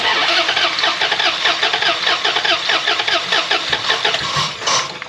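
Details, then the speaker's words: 2004 Dodge Ram that dies after running a while, no codes: uneven cranking with no catch; cylinder 1 compression 75 psi versus 150–155 spec and a fuel-soaked plug; owner suspects a broken timing chain. "The compression on that number one cylinder was 75. It should be about 150 or 155, so it is pretty low."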